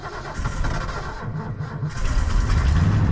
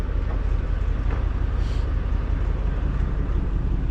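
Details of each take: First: 1989 Ford F-150, fuel-injected 302 V8, four-speed, odometer 66,771 (at least 166,000), unstarted a while, cold night around 20°F: uneven labored cranking about three beats a second for a couple seconds before catching and roaring up; hard cold start. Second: 1989 Ford F-150 scrapyard project, new fuel tank and fuel pumps: fired up easily and idles with a steady, even low V8 rumble, no misses, knocks or ticks; healthy normal idle.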